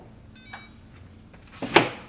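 A single short electronic chirp from the door reader, then a sharp metallic clack as the strike releases.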